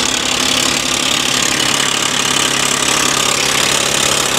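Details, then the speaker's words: Cheap auction car at idle, crankcase full of oil: fast, light metallic ticking over a steady hum; unsure whether an accessory pulley or top-end chatter, owner suspects lack of oil pressure to the top end. "Guys, I can't tell if that's an accessory pulley or if that's like a top end shatter."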